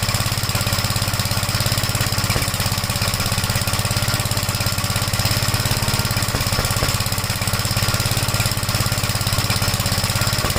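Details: 1956 Gravely Model L single-cylinder started on choke at about 3/4 throttle, then throttled down, no load: fast uneven thumping with irregular exhaust pops, misfiring; smoked at startup, plug oily; owner suspects top-end/valve trouble, not confirmed.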